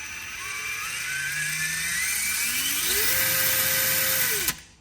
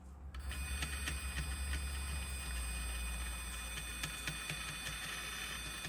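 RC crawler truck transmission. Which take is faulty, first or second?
second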